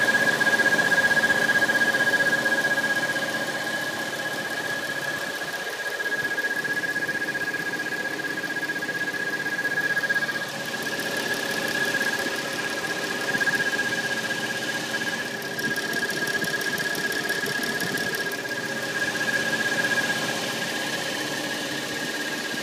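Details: 2013 Dodge Challenger SXT at idle: steady high-pitched whistle/squeal from a loose seal in the water pump, diagnosed by dealership; noise gone after pump replacement.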